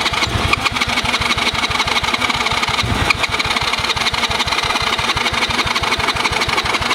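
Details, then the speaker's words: Cheap Chinese kids quad, sat for years, choke on, spark plug tightened: the starter churns at about three beats a second with a few weak catches that never take. Hard starting; the owner suspects very old fuel and a dirty carb. "You can tell that fuel was like 5,000 years old. We get somewhere when we put the choke on."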